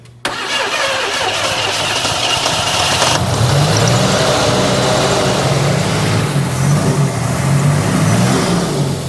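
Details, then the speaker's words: Engine restarted after a wet plug and a possibly unseated injector with a broken clip were found, temperature reading 144: catches and settles into a lumpy, uneven idle with stumbles; runs better than before but still rough, cause unconfirmed. ">> It is running. It's running decent. >> I'm going to go out on a limb and say it's running better than it's ever run. And it's still running terrible."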